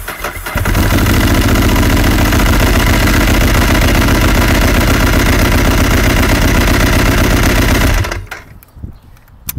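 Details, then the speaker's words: 2007 Ducati 1098 with intermittent starting issue, control test before HICAP copper cables on fully charged battery at 12 V; about half to two seconds of brisk cranking, twin catches and holds a steady strong idle: normal start. "I would say about a second or a half second maybe two at most"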